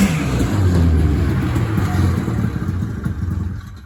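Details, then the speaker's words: 1980 Ski-Doo Blizzard 5500 two-stroke snowmobile, first run in many years: runs low and uneven, beats loosening, then sags and fades out; won't hold idle, fuel mixture likely still off. "It won't idle, it just shuts itself off. So, we'll see if it even runs."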